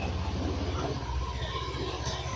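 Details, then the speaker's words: Honda Beat fuel-injected scooter that would not start, after a little oil was injected into the cylinder to restore compression at leaking valves: it starts right away, running on its own with a steady low rumble and no stumbling, with slight smoke; normal running. "alhamdulillah langsung hidup teman-teman ya."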